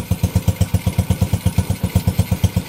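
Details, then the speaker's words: Honda Wave 125 idling on its first start after a top overhaul (new cylinder head, piston and rings, rebored block), carburetor not yet tuned: crisp, even single-cylinder thumps about seven a second, no misses or knocks. Normal idle. "Pinong-pino yung kanyang andar. Ito lang yung maingay, yung carburetor. Ayun, tahimik na tahimik. Unang andar, swabing swabi."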